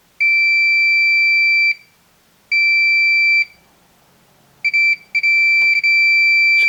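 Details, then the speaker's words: Samsung PN51D plasma TV (PN51D495) no-power repair, multimeter in diode mode testing a rectifier diode removed from a heat sink; steady continuity beeps in both lead directions: shorted diode. "means that there's a a short we reverse the uh the leads yeah and inde there there's a short"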